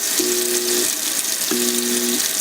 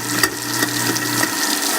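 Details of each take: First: Jammed garbage disposal switched on with cold water running: short bursts of low electric hum, no spinning or grinding; it is stuck and not rotating, and leaving it on could trip the breaker. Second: Garbage disposal in a rental house after freeing a stuck unit, running with cold water: steady low motor hum, smooth and even, no grinding or jamming; running fine.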